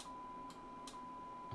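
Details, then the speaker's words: Yaesu FT-1000MP Mark V under deaf-receiver repair, with an AM signal injected: over a steady tone, three crisp relay clicks about half a second apart at a threshold point. These are most likely the band-pass filters switching in, which is normal. "and then you can hear the relay switching so so that's most probably switching in the uh the pre-bound pass filters"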